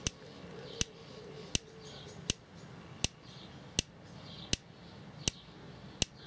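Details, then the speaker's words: Dometic/Electrolux RM212 3-way camper fridge, serviced for hard lighting, on a 12 V supply with the frame earthed: the high-voltage igniter ticks sharply and evenly about every 0.75 s with a big spark flash each tick. Normal igniter spark ticking. "Straight away you can hear it ticking. Now you need to be careful you don't touch anything, because that's a high voltage ignition."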